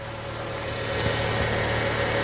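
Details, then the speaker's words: Fiat Palio idling after the belt was refitted and correctly tensioned; the belt had been jumping and hitting the cover, causing what seemed an engine noise. Smooth, even hum with no slap or knock from the front. Fixed, normal idle. "Agora sim ó Corrinha no lugar certinho tensionada vocês lembra que tava pulando assim ó tava pegando na capa tudo parou aquele barulho de motor agora é só finalizar aqui a montagem e entregar mais um também"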